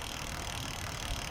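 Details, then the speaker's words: Lectric XP e-bike lifted off the ground after brake adjustment, wheel spinning: light, even whir from the chain with no rubbing or scraping; normal chain running noise. "i got this and then that's just the chain you hear going"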